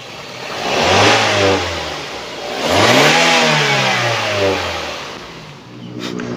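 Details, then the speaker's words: 2013 Daihatsu Gran Max 1.3 (1300 cc) MPV revved from idle: smooth rise and fall twice, pitch climbing cleanly, no knocking or rattles, no signs of piston or ring wear, responsive, no white smoke; healthy engine. "kita naikkan RPM pun Kondisinya masih oke masih bagus tidak ada ciri-ciri metal kena atau seher atau ring seher kondisinya juga masih responsif"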